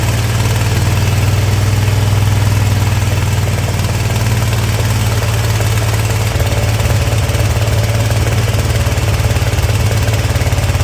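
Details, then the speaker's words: Ariens Ever Ride Hornet zero-turn mower with a 25 hp Briggs & Stratton V-twin running: a lumpy, uneven beat with popping from the intake; owner guesses an intake valve not sealing, possibly from overheating. "so I don't know if you could hear that kind of popping noise that was going on while it was running but that was coming out of the out of the intake"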